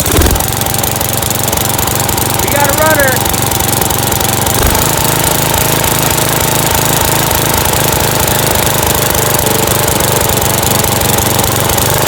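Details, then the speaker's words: Dynamark 11/36 lawn tractor, 11 hp, no air filter fitted: small single engine running fast and steady with a hard busy beat; high idle, owner suspects missing air filter or carburettor needing adjustment or replacement. "'s a little bit on high gear which could just be from could just be from the fact that we don't have an air filter on there it's just getting a lot of air but you know that carb probably needs adjusted maybe even needs replaced who knows"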